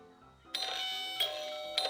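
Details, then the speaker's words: Electric front-door bell after rewiring the switch: three sharp, tinny metallic pings as the plunger strikes the metal plate, sounding strange because the plate is out of place; to be adjusted. "แต่ว่าเสียงที่ออกมามันก็จะแปลกๆนิดนึงเดี๋ยวผมก็จะปรับแผ่นเหล็กให้มันเข้าที่เข้าทางก่อนนะครับ"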